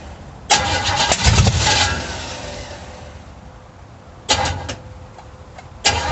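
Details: 350 V8 in a 1937 Dodge Brothers, first start: sharp pops and bangs in short bursts, never settling into steady idle, spitting back through the carburetor; timing unverified, battery dying, cause unconfirmed.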